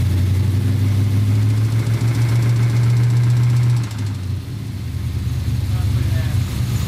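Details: Small-block Chevy 350 V8 idling with a deep, uneven rumble and a faint rapid knock about three or four a second: rod knock from the spun #3 rod bearing.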